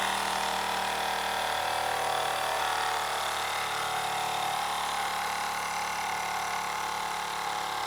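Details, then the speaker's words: Mamod FE1 live steam model fire engine fired on fuel tablets, desk test with a good amount of pressure built up in the boiler. A fast, even whirring beat with a steady hiss and no knocks or misses, the flywheel and piston at about full RPM. Normal full-speed running. "And finally, it's pretty much at full RPM, and you can see just how quick the flywheel and the piston is moving."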